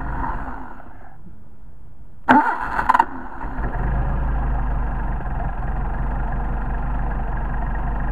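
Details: Rebuilt 190SL Solex carburetors, hot restart after linkage adjustment: brief crank, fires straight away and settles into a smooth, even idle with no stumble; healthy hot start.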